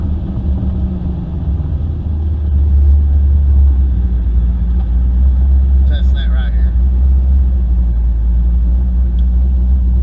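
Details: 1996 Camaro, 5.3 V8 swap, GT45 turbo, BTR Stage 2 cam, new tune test drive: deep V8 rumble swelling steadily under load to about four psi boost (about 120 kPa), even and strong, no misses or knocks; healthy.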